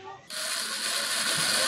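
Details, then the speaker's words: Motorcycle starter jumpered directly; high steady whir with no engine turnover as the starter spins but the bendix fails to engage; customer complaint of starter spinning without turning the engine; starter clutch not engaging. "narinig niyo umiikot yung starter pero hindi kumapit 'yung bendix niya."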